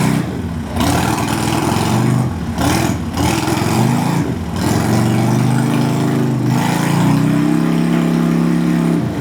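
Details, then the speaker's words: 1998 Harley-Davidson Sportster V-twin sitting over a year, stale gas and dirty fuel filter, cold just started on a new lithium battery: catches and revs in uneven surges, never settling; won't idle, owner expects improvement once warm. "Even though it was being stubborn, it won't idle. I'm sure if I let it warm up, you know, things like that, it'll get better."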